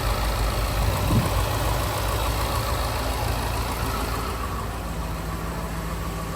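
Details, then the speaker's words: 2018 Jaguar F-Type R (X152) auction car after an accident, first start: steady low idle with faint fast valve tapping; engine sounds okay. "Didn't sound bad when it fired up. Engine sounds okay. Kind of hear the valves tapping away."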